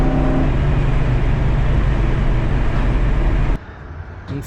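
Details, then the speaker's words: 1972 Chevelle Malibu 383 small-block with new Doug's 1-5/8 x 3 in headers, Flowmaster 2.5 in H-pipe and Black Widow Venom 250 mufflers (one leak still present); deep, throaty rumble, strong and even with no rattles or misfires. Normal V8 exhaust note. "yeah I think it sounds good gives a bit of a kick now"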